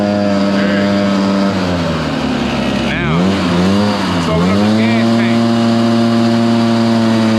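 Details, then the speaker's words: Stihl BR430 blower restarted on choke after sitting a few days to test whether a bad tank vent caused the bogging: full-throttle two-stroke howl sags and drops pitch twice before recovering; vent ruled out, carburetor rebuild next. "I want to check and see if the vent's bad is that the reason why it's barging down"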